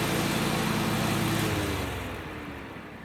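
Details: John Deere 345 with a Kawasaki FD611V V-twin, about 490 hours, after stage-one revival repairs and a fuel filter change. Smooth, even drone under mowing load, pitch easing as it slows, with no knocks or misses; normal running.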